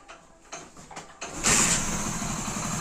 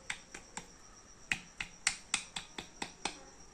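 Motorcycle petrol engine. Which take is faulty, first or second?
second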